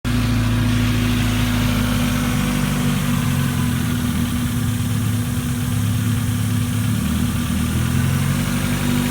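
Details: Mazda Miata with new plugs and all four injectors replaced, first start afterwards: loud, slightly uneven misfiring idle with a faint hiss from an unlocated leak. It seems to run on four cylinders, then drops to two; shop had blamed cylinder 3 injector.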